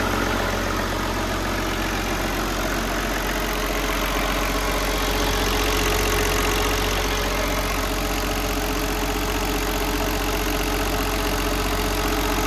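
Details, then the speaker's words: Perkins 6354.4 diesel, run briefly without coolant before the water pump is fitted: even, steady diesel clatter at idle with no misses or knocks; normal idle. "Have a listen again. See what sound it makes. Sounds all right."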